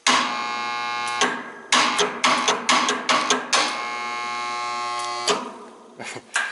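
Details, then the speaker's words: Old 40" scrapyard fan motor, possibly with a fried capacitor after long stalled attempts to start: steady hum with heavy, irregular clunks at power-up as the rotor shifts and is pulled against the stator, locking up. Cause suspected, not confirmed. "and that clunk that you're hearing I believe is when you give it power it's sucking the rotor up against the stator and making that [Music] clunk"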